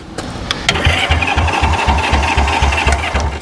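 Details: Honda CB77 Superhawk that sat for years in a container: spark confirmed and extra fuel added, the starter churns steadily at about four beats a second but the engine never fires. It cranks but won't start.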